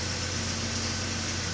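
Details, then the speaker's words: Jeep Wrangler after a "no bus" fault fix with the instrument cluster reinstalled, started up: smooth, even idle with a steady low hum and no misses or knocks. The engine is running healthy. "Looks like we done good."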